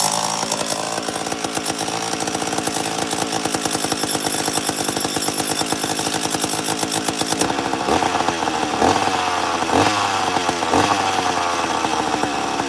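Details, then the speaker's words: Two-stroke 850 chainsaw starting and idling, bar oil suspected in the cylinder and coming out the muffler: crisp, even firing at idle, then a brief change to slower, heavier pops; shown as a reference for how it should idle. "so basically I brought this up to show you what on 850 supposed to sound like when it was odling so we'll see how it starts it should start pretty good normally does"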